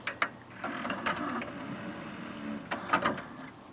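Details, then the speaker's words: Sony CDP-C305 CD changer, shuffle play; irregular clicks, clunks and bursts of whirring as the carousel hunts and stumbles, happening only on some discs; changer mechanism struggling, cause unclear. "holy crap that sounds terrible there we go now it's screwing up that's what it does I don't know why it does that"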